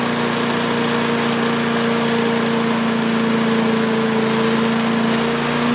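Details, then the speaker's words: Craftsman 5 hp wood chipper single-cylinder, revived after sitting 3 years jammed: loud, steady note at even speed, no misses, stumbles or knocks; initial smoke, likely WD-40 or PB Blaster, cleared and exhaust ran clean. Running smooth. "It was a little bit smoky in here, but all that initial smoke must have been the WD-40 or PB blaster, because it did clear right up after that, and it was running very clean out the exhaust. This thing runs very smooth as far as the engine jerking around."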